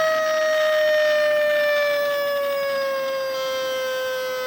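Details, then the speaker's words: XK A800 RC motor glider aileron servo powered up; steady high whine sagging slightly while control surface doesn't move: failed servo trying but stalled. "Right, nothing happens when I move it. You can hear it's trying to do something. So that's what happened to this aileron."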